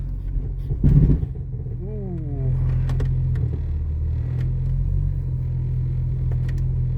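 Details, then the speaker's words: 1996 Jeep Cherokee XJ with newly installed front axle, just shifted into 4-low and reverse, brakes soft after caliper work: low engine drone under load with a single heavy drivetrain clunk; source unclear. "Ooh, that wasn't good. Did you hear that? Huh? That didn't sound great."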